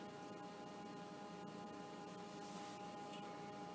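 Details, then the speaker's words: Well-used Commodore 64 1541 disk drive running while loading: faint steady motor hum with a soft high tone and light hiss. Louder than the other drive but not whining; sounds healthy. "I'm sure you can hear that this disk drive is definitely louder than the other although still seemingly happy"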